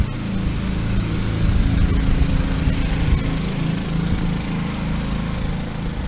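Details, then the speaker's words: Two Honda EU2000 generators in a truck bed box, switched onto load from a fifth-wheel 15K air conditioner. Rise in pitch and loudness as load comes on, then settle into a steady, even drone; normal response to load. "Okay, we've got power in here. Let's flip this on. You can hear the generators ramp up."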